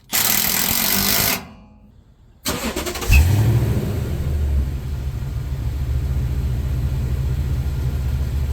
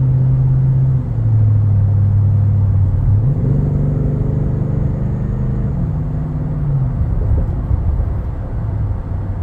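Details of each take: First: Toyota Tundra after exhaust work on a chopped aftermarket muffler and resonator delete: starter whirs, engine settles into a smooth, deep, even idle with no rattles or drone; sounds a lot better. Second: Toyota Tundra with aftermarket cat-back exhaust: cut stock muffler, sketchy-welded aftermarket muffler, resonator delete. Deep loud droning hum under steady driving swells and booms through the cab, nonstop; before restoring factory parts.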